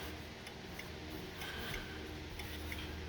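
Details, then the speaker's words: 1970s Lincoln, after turn signal switch replacement, heard in cabin: crisp regular flasher clicks about three a second over quiet hum on a left turn; flasher ticks steadily and evenly as it should. "so if you rotate the wheel around to the left click there's your clicking you can hear"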